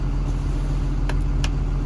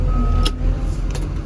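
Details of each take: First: KBR 925 machine in first gear with controls bypassed: diesel drones low and steady as it loads up trying to move, but the machine never propels; only second and fourth gears worked; traced to an open ground wire in the propel control circuit. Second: KBR 925 transmission that previously had only 2nd and 4th gears. After a wire was grounded to the ground lug, all six gears propel again. Deep, steady diesel rumble holding under load with a couple of light clicks, drive pulling normally.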